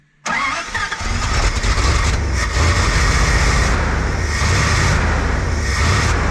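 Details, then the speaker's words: Carbureted dump truck after cleaning out a suspected clog or stuck float in the float pan: the engine catches right away and settles into a steady, even, firm low rumble with no misses; normal running after start. "that's sounding better"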